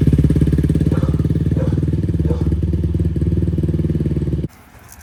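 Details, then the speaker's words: 2004 Yamaha YFZ450 quad idling after carburetor cleaning (clogged pilot jet) and new ignition, started on a battery: even, steady single-cylinder thumping with no misses, then cuts; radiator fan kicks on, not overheating; runs healthy at normal idle. "she does run pretty good. You can hear the fan kicked on. It's a good sign. It's not overheating."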